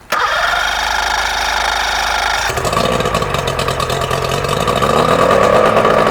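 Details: 3-cylinder Mercury outboard that had been sitting, first start after a lower-unit service with a new water pump: it catches and runs with a ragged, uneven buzz on only the top cylinder; the carbs were found clogged with green gunk.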